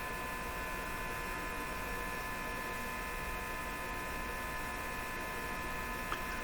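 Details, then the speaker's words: 1935 Rogers Model 7R622 tube radio, output tube grid circuit: steady buzzing hum with several fixed high tones and no program sound, from open grid connection or huge grid resistor on output tube. "if you leave the grid open say a grid connection is broken and the grid is open and there's a bit of wire in the radio get this kind of this kind of hum"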